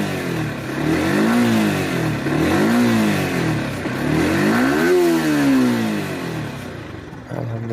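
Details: Yamaha R15M engine, said to have a tappet problem causing bad sound: three quick throttle blips rising and falling cleanly with no ticking or clatter; normal revving.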